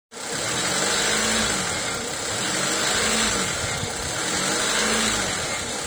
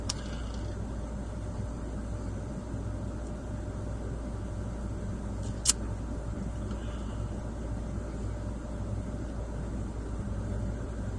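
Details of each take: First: 1996–2001 Honda Civic EK1 with D16Y4 engine: high, hissy hunting idle swelling and easing about every two seconds, caused by an idle air control valve stuck open; previously fixed by removal and cleaning. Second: 1996-2001 Honda Civic EK1 D16Y4 at warm idle after fixing a stuck-open idle air control valve: smooth, steady drone at a settled idle of about 800 RPM, no hunting or surging.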